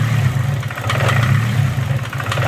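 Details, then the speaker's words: Nissan SR20DET (S13/180SX/240SX) on first start with the IACV idle air screw fully closed: a low, uneven idle that dips and surges. "so when i first started it and the iacv which is the idle air control when when the idle screw was all the way closed it idled rough like this"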